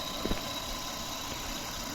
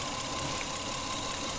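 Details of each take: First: Toyota Camry after repair of bad ignition coil and mass air flow sensor (misfire, stalling, long cranking): quiet, smooth low idle with even hum, no stumbles; engine now running smoothly. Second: Toyota Camry with sudden stalling, misfire, poor revving and long cranking: uneven, lumpy idle with irregular stumble; pulling cylinder 1's coil connector changes nothing, so that cylinder is dead from a failed ignition coil.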